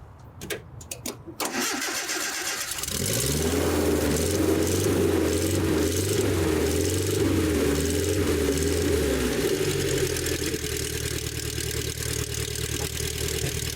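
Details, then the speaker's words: 1984 Nissan 720 pickup, Z24 four-cylinder with eight spark plugs and two coils, cold start after replacing possum-chewed plug wires: brief crank, clean catch, steady even idle with no misses or knocks; healthy. "This is a four-cylinder engine, but it has eight spark plugs, which is probably why it has the two coils. I did not start it up this morning, so we'll be starting up cold."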